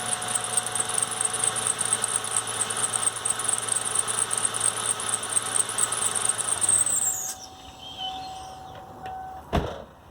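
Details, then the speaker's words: 1997 Ford Mustang 3.8 V6, engine running: loud, steady high-pitched squeal from a worn serpentine belt, fading as the engine shuts off; belt to be replaced. "we're gonna replace the serpentine belt it is squeaking I'll start it so you can hear it it's pretty bad"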